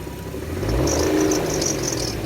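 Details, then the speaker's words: Petrol car bought with engine knock, revved after adding Lucas oil stabilizer and Liqui Molly ceramic additive and about 5 miles of driving: light irregular ticking over rising revs, still knocking but much improved; belt squeak also noted. "you can clearly hear uh it's still knocking but it's you know as you can hear it got way better"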